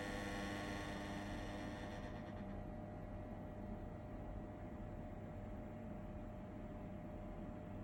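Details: KDK M40KS ceiling fan: steady low rumble and hum evenly under the fan's whir, no clear knock; rumbling, cause not yet pinned down.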